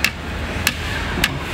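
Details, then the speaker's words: Tesla Model 3 (refreshed) B-pillar trim with the black rubber strip removed: four light taps each give a sharp, hollow plastic knock, a severe rattle from loose trim. "没有黑胶条之后，它异响就非常的严重。我轻轻一拍，它就巨响。"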